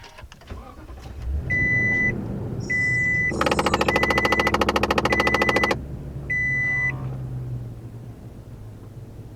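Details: 2020 Toyota Tundra: bursts of rapid even clicking from behind the dash, caused by rodent-nest debris striking the blower fan; fixed.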